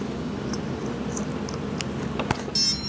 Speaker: okay when it first power is up it's going to make that sound and it's going to run through its settings